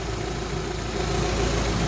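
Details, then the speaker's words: Rover 45 petrol, warm after running about 20 minutes, heater and temperature gauge working, back running after two and a half years off the road: steady, even low rumble with no knocks, misses or hunting; healthy idle. "There's enough to make me think that that is absolutely fine. It needs to be driven."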